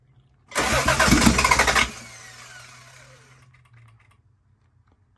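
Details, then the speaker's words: Toyota Supra crank but no start: rapid, choppy cranking under two seconds that fades without firing; battery voltage drops to 10 then 8 V, owner suspects insufficient current to starter and a new battery needed. "Es el motor de arranque que hace ese pase así. No está llegando suficiente corriente al motor de arranque."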